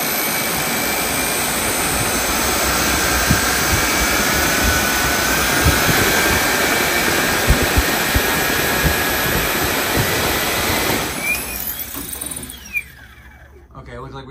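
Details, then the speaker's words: Homemade 3D-printed turbofan, first test run: steady loud fan roar for about eleven seconds, then it cuts and winds down with scrapes and chirps as the spindle fails and knocks parts over. "looks like we lost the spindle. It was knocking stuff over here."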